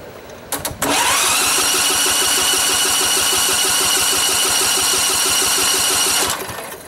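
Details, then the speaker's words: Montgomery Ward GX7, first start attempt in 37 years: electric starter cranks the engine in neutral with an even, quick chug and loud hiss, but it never fires. A spark tester shows no spark; the owner suspects old points and condenser and later fits electronic ignition. "well it's old enough this might have points in it either so I'll have to do a little bit of Investigation"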